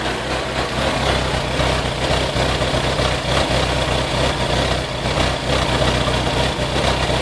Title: VX220 misfire.